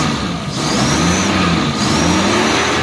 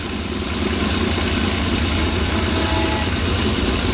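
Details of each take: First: Suzuki engine after fixing a misfire on the first cylinder: revs climb smoothly with no stumbles or skips; no misfire, normal revving. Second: Petrol engine idling with an uneven, lumpy beat during injector-disconnect checks; one cylinder dead, disconnecting its injector brings no change in running.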